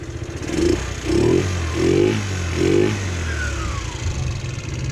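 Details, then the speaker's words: GY6 scooter engine during warm-up, rear tire turning, performance air filter refitted after it fell off: steady idle, slightly low, with four quick, clean revs settling smoothly; normal running. "All right, so this sounds good. The idle is just a little low, which is, there we go."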